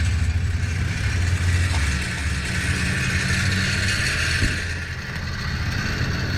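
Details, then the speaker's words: 2008 Infiniti G35 idling, heard from outside, with a loose, uneven metallic clatter under the car from an exhaust pipe C-clamp whose bolt rusted out; fixed by replacing it with a 2-inch adjustable hose clamp. "this loose c-clamp is the reason for the loud noise"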